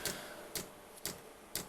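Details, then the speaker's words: 24V dosing pump bodged to run on a 12V heater, after self-check: crisp single ticks about twice a second, evenly spaced, before the heater fires; normal fuel pump ticking. "it's it's uh it's going from self-checking to well the pump the pump is now bumping you can hear the pump pumping bumpers pumping"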